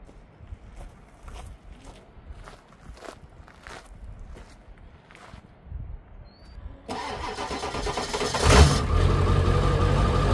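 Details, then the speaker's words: 2001 Ford F250 7.3 Powerstroke diesel, before an alternator swap, batteries reading about 38 with loose connections: slow, labored cranking with faint ticks about three per second for several seconds, then it catches and runs loud; hard start from weak batteries. "so check it out about 38 right now let's see if it starts weak batteries connections went loose stand by"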